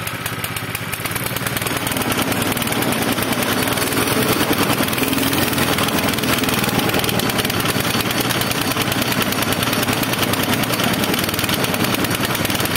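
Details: Zipper plate compactor, small single-cylinder engine, reported to start, run briefly and die, smoking and lacking power, with very little fuel in the tank: uneven, stumbling, fading chug. Cause unknown; carburetor and tank cleaning with fresh fuel planned.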